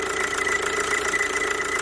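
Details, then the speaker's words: Kia Ceed 2.0 CRDi 140 hp diesel, warm idle: thin, high squeal pulsing steadily, mistaken for a belt roller, tensioner or bearing, traced to the oil-lubricated vacuum pump mounted on the alternator. "na alternatorze jest pompa vakum która pracuje w oleju zenie Myślę że słychać prawda"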